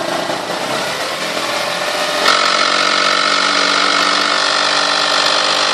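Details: 1998 Toyota Sienna that runs great: harsh raspy buzz with a thin whistle when revving from 2000 to 4000 rpm, seeming stronger from the manifold and beneath; cause unknown.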